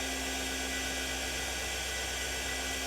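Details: TurnCrafter Commander 12-inch lathe after a control board repair (bad MOSFET, resistors and thermal paste replaced): smooth, even motor hum with a steady high whir and no knocks or grinding. Normal running.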